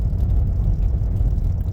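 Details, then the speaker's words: 2012 Toyota Prius V after replacing the worn electric power steering motor coupler: road test with steady low road and drivetrain rumble, no steering rattle or knocks. "No rattles. Feels like brand new. Took her down the street. Checked her out. She did great. No rattles."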